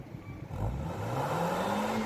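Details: 2010 FAW V2 after spark plug replacement for a P0300/P0302/P0304 misfire: the engine pulls up cleanly from idle in one smooth rising sweep, no popping or skipping, firing evenly on all cylinders. Weak piston rings are still suspected.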